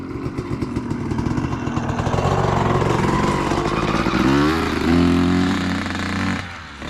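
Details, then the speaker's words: 2003 Honda CR250R two-stroke dirt bike after idle adjustment: revs climb under load but flatten and blubber before the top, loaded up, likely rich; owner suspects carb needs going through and re-jetting. "Seems like it's uh loaded up pretty good. Doesn't really want to get into the um high RPMs. Probably needs the carb gone through re-jetted."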